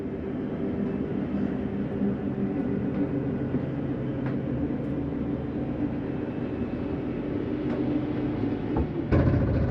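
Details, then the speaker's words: 2013 Jayco Jay Flight 29QBH travel trailer slide-out retracted for travel, doors and drawers closed: steady low motor drone as room pulls in, then short thump at end of travel; normal retraction. "nothing's going to impede our slides coming in we're just going to hit slide in just secure everything for travel"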